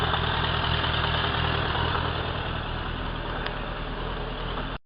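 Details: Suzuki Bandit 1200 K3, 29k on the clock, warm idle with steady low rumble and faint repeating knock; only when warm, persists with clutch pulled, inaudible under load, worsening over a year, no power loss.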